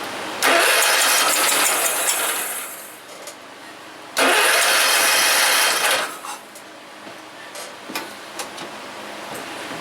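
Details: John Deere RX75 mower engine cranking on spray gas, carburetor not yet pulled: short sputtering bursts that flare for a couple seconds then die; rough running, owner fears bottom-end damage such as broken crankshaft or connecting rod, not confirmed.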